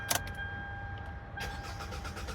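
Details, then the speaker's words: Hyundai Elantra with a 2.0-litre engine swapped in for the original 1.8 along with its wiring harness and steering column: starter turns the engine in steady pulses after a key jingle but it never fires, with no immobilizer light on the dash, suspected immobilizer mismatch. "right, it's a crank no start. But I want you guys to take a look at the dash. There is no immobilizer light onto the dash anywhere."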